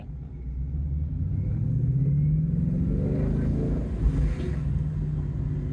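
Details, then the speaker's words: 2016 Ford Mustang GT 5.0 V8 manual driving in local traffic: deep burbling exhaust rumble rising smoothly in pitch as it pulls, clean and even; a healthy V8. "does sound good and it does make me smile a lot"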